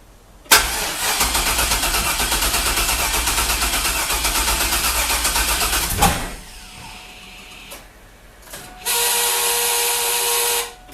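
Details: 2000 Chevrolet F-body Camaro, junkyard 5.3 LS with turbo, TH400, 1000cc injectors, first start on jump box: long fast rhythmic cranking about five seconds with no catch, then cranking again; company-supplied injector data was wrong, preventing firing.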